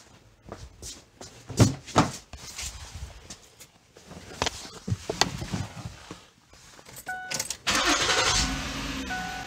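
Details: 2009 Ford Taurus started after an oil change with Mobil 1 and an air filter change: brief crank, catches and settles into a steady even idle, no knocks or squeals; oil pressure good.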